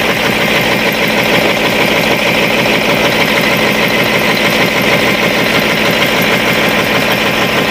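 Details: Cat 3208 starboard marine diesel idling after repairing the plunger and barrel, which had stuck from corrosion after 18 months: loud, steady diesel clatter with an even beat and no misses or stumbles. Runs smoothly.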